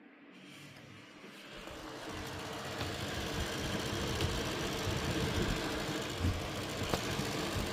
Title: Gigabyte 7900xt - fan grinding sound ( 2 months old )